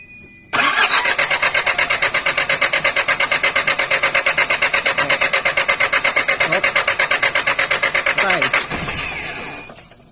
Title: hard starting fuel pump...